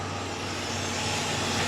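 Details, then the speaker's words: 2006 Chevrolet Impala 3.9L after replacing the broken cat-back exhaust and checking the clamps: smooth, steady hum with an even exhaust note and no leaks, normal. "the car's running right now and you can't even hear any exhaust lakes now"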